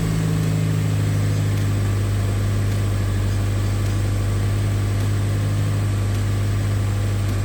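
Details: Honda K24-swapped Toyota Camry with newly fitted turbo and full custom exhaust, first start, camera in engine bay: engine catches and settles into a steady, even idle with deep constant exhaust drone, no knocks or misses; running healthy.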